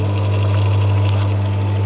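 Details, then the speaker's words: Belle mini cement mixer running again after a capacitor fix; the drum had come off: a steady low motor hum, spinning very slowly with no knocking or grinding; it doesn't sound great and may need the drum fixed and a service. "seems like it's going doesn't sound great to be honest but that may be I need to fix this drum and stuff um as the drum did come off but she is spinning"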